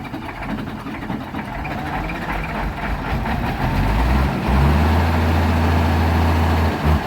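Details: Diesel road grader that would not start after heavy rain, finally started by jumping it with an extra battery taken from the trailer: a low, steady rumble settling into an even idle with no misses or knocks.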